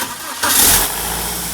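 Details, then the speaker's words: 2001 BMW E46 316ti Compact, N42 engine, 200,000 km, cold start: harsh clatter for the first second or two, then settles into idle; startup rattle, owner tried replacing the exhaust VANOS and cleaning the oil filter housing check valve but it returned. "Hi, it's Bimerzen, and in this video I'll explain how I finally fixed that annoying cold startup rattle on my N42 engine by cleaning the check valve inside the oil filter housing."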